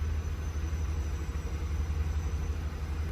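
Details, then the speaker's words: Lincoln Navigator warm restart, hot idle in park, no accessories: deep, steady low rumble at about 700 rpm, no ticking, smooth and settled; previously idled 800–1100 rpm with a shudder, now at factory calibration; construction noise in background. "that's good to go for a cold well a warm restart 700 sounds right now we're good we're stabilized"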